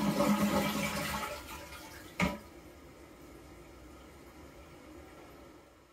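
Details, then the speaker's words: Toilet flush and refill after replacing the hissing fill valve with a Korky fill valve kit: loud rushing flush fading into a quiet steady refill trickle, no hiss left; toilet flushing and refilling normally after the repair. "there you go that is how you fix a hissing toilet happy flushing"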